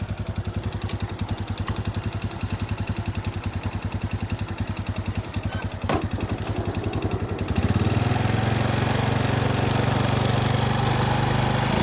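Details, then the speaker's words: Honda Wave S 110 single-cylinder engine at idle then revving: regular light tapping on every firing; piston noise, piston replaced. "hello friends today i saw about repair motorcycle and part of motor that noise of piston,and change it."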